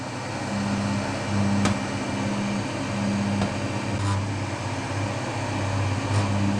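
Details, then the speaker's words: EEL DIY V5 battery box with EVE LF280K cells and a JK BMS, discharging at 55–63 A near 1% state of charge after about 5 hours: the whole box hums and vibrates with a higher tone. The cause is unknown. "it is also fascinating that this battery is humming it's actually vibrating just put your hand on here can you feel that the whole battery is humming"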